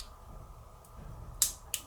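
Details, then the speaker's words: Polti Vaporella Forever 850 steam solenoid valve, opened with a magnet and spring-closed. Over a quiet hum, one sharp tick and then a softer click as the valve snaps cleanly shut; normal closing. "Sentite tac, sentite tac. Così si apre, non si sente perché fa rumore la calamita, e così si chiude."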